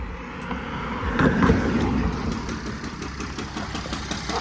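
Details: 2005 Mercedes CLS 320 CDI diesel: sharp deep internal knock about three times a second over idle clatter; owner suspects rod bearing, unconfirmed.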